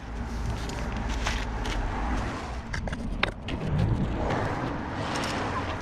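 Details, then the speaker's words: 2010 Citroën C1, wheel raised and spun before replacement: steady low roar with a gritty undertone from a worn rear wheel bearing hub. "I'm hoping you can hear this roaring sound coming from the worn bearing."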